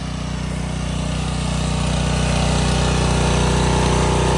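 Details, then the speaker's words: Subaru EA190V pressure washer after a no-start fix: steady, even drone building slightly as the pump takes load, no misfire or knock; engine healthy and pump works. "so I'm very surprised but that pump works well I mean you know otherwise it' just be trickling out like [Applause] before engine sounds good"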